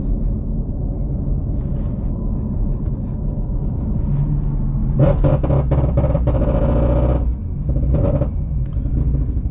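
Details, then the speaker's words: Ford Mustang GT350R on test tune, wrench light on: deep lumpy stumbling drone with ragged popping midway, running on like 3 cylinders; throttle body codes, owner suspects crank sensor; tuner says fail-safe mode, fine after clearing codes. "I really thought we just blew it up. It was running on like 3 cylinders."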